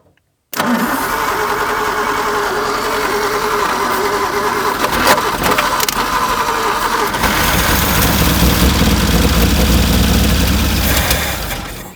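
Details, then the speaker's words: 1950 Nash Statesman engine, unrun for 23 years, on a 12-volt battery with gas poured down the carburetor throat: cranks, catches, runs unevenly several seconds, then fades as the poured fuel runs dry; running on primed fuel only. "We got her. Here runs. I'd like to run a little longer than that, though."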